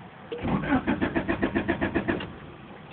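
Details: 1991 Honda Accord with replacement used engine and new alternator, stalls while driving and won't restart; owner suspects distributor: starter cranks steadily about three to four turns a second for roughly two seconds, never catches; crank no start.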